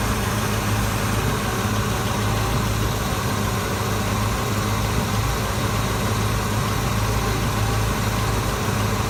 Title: Exhaust leak